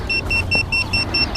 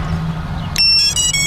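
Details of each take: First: FPV drone after a crash where it lost orientation and would not self-level, with props bent: the lost-model beeper is switched on, giving sharp high-pitched beeps about four per second. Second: FPV quad powered up in a park after the controller: run of short high chirps and stepped beeps over a low hum, the normal boot-up sequence before arming.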